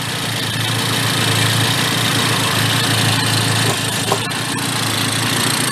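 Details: 1970 Benelli mini bike small two-stroke, revived after 40+ years parked, carburetor float leaking some fuel: after idle adjustment it ticks over at a steady, quick idle with an even beat and no misfires; idle now about right.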